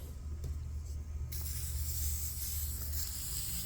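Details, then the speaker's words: Leslie speaker slow motor, received seized, now freed before cleaning, lubrication and missing parts: spins with steady low hum and airy hiss; runs freely but still dry and uncleaned. "so this is a Lely slow motor that uh came in from Virginia that I'm refurbishing and uh when I received this motor it was seized wasn't spin at all but now look at this I got it"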